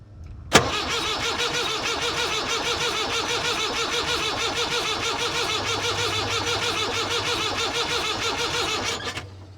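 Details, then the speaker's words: 1962 Lansing Bagnall diesel forklift with a Perkins engine, battery charger connected: the starter churns steadily for about nine seconds and the engine turns over but never fires. Cranks, no start; the mechanical lift-pump fuel system is to be checked. ">> We've established that it won't start."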